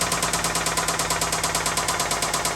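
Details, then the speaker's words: Nissan 350Z engine running with sharp, evenly spaced heavy metallic knocks about eleven a second that can't be isolated by stethoscope, sounding deep internal; failed rod bearing. Rod knock. "And this is very hard to do with it running because that knock is pinging throughout the entire engine. And no matter where I put the stethoscope on it, it sounds like the knock is happening right there."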